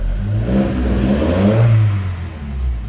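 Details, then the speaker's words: 1979 Datsun 620 after oil-filter loss and alternator trouble: throttle blipped up and down, smooth even pull on all four cylinders with no knocks or misses; charge light on initially, later went out. "I will just verify that this runs on four cylinders again and also that it has the charge light on. So, there's four cylinders, which is great."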